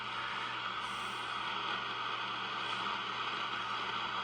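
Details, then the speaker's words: Swan 700 tube transceiver receiving with no antenna, after extra solder grounding on tube sockets: steady receiver hiss with faint scattered crackle and low hum, a slight microphonic chatter in the receive section; owner suspects the audio output tube, not confirmed. "something in the receive section has a little bit of chatter to it not bad but so I have no antenna on now I'm just letting it hiss see if I hear any"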